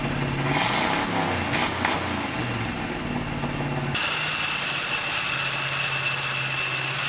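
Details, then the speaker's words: 1968 GMC half-ton longbed engine, first run in about 20 years: steady fast idle near 1100 rpm, about 300 above target, faint hiss; high idle, unhooked vacuum ports suspected as vacuum leaks. "Idle's a little high, but it's idling. Look at that. We've got a pack idling about, 1100. That's about 300 more than I want it to be."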